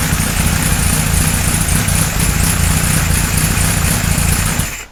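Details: 1978 Kawasaki Z1-R four-cylinder, first start after engine rebuild, oil verified pumping to main gallery; settles into a steady, even idle with no knocks or rattles before shutdown; sounds healthy.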